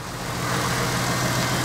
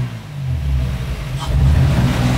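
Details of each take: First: Toyota Supra with manual and turbo conversion, started with the new exhaust fitted, ignition timing not yet checked: low, uneven chugging idle under a steady exhaust drone, possibly running rich. Rough idle. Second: Toyota Supra manual turbo-conversion engine at first start with no exhaust fitted: loud open-exhaust revs rise and settle smoothly with no knocks or misses, running normally.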